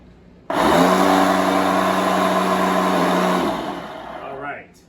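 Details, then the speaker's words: Hoover SmartWash carpet shampooer with brush rolls removed and pump out of the loop, only the motor running: loud, steady high-pitched whir winding down at the end; worn motor needing replacement. "yes that is the motor okay so that's what we're gonna have to deal with with this unit we're gonna have to replace this motor"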